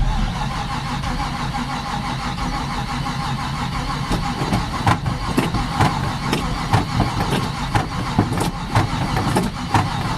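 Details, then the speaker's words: Chevy K10 pickup with new carb and intake, unstarted about 1.5–2 months, cold January day around 20 degrees; sluggish, uneven slow cranking, owner suspects unhappy battery, unconfirmed. "cranking pretty slow I don't think that battery is too happy"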